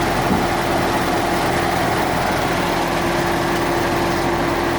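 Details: 2014 Ford Mustang 5.0L with 9,500 miles at idle: a light, fast tick over the engine hum. The source is unknown, and the dealership has not found the cause.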